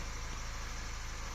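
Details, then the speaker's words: Audi A5 fitted with the wrong spark plugs, in gear with brakes on under load, no warning lights; low drone with an uneven stumbling pulse, per-cylinder misfire counts rising, felt as stutters like fish bites. "these uh spark plugs that are installed they're the wrong ones and this engine is misfiring on the load if you look at that"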